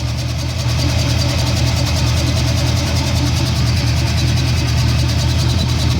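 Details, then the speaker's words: 1979 Chevrolet El Camino V8 at idle: a deep steady rumble with a thin, rapidly pulsing high screech over it; the cause is unknown. "hey what's that sound like weird screeching"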